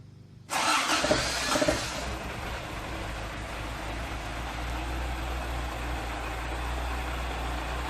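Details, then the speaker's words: Toyota AE86 engine cranking and starting after an O-ring leak fix and trimming the exhaust shield that hit a muffler bracket, fan and shroud off: quick catch to an even idle with no shield buzz or rattle; oil burning off. "No more exhaust shield noise. Look at that smell of just the oil burning off."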